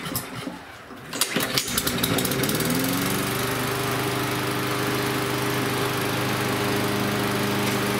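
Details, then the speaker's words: Lawnmower that ran last fall but wouldn't start this spring, after repair and bending the governor tab for higher revs (should stay under about 3200 RPM): pull-start tugs, then a steady even buzz with no hunting or misses; runs well. "so I'll start it again here and it should be revving higher since I bent the tablet"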